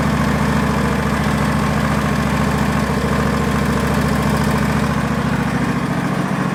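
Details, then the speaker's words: Barn-find Hayter ride-on mower, switch held with a hammer, battery jump-started: small petrol engine holds a steady, even idle around two beats a second with no backfire, misfire or knocks; normal idle. "it is running on both silliness didn't turn in backfire or misfire I think so we've got a nice running engine there I don't think there's anything wrong with it"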